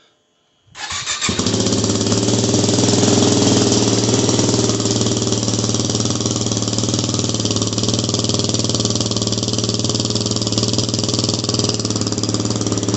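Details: Yamaha WR250R with Honda CRF230F muffler repacked (new fiberglass, stainless screen, RTV sealed), cold start: single catches and settles into a steady, even, mellow thumping idle; owner thinks it sounds a little better.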